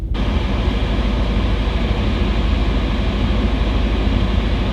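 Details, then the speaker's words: Audi B7 RS4 idling with AC on: deep, even rumble under the idle only when the brand-new AC compressor engages, no knock or squeal; blower fan and heater normal, cause not yet found. "okay so I can confirm that the sound is AC only it has nothing to do with that blower fan okay the heater sounds completely normal it's only when the AC compressor comes on that it makes the rumbling sound even though the AC compressor is brand new"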